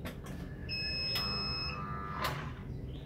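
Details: Very cheap big 1.0 kW inverter (test no. 11, large casing, small PCB) trying to start a 1/2 hp motor pump: single high beep about one second over room noise; overload alarm, failed start.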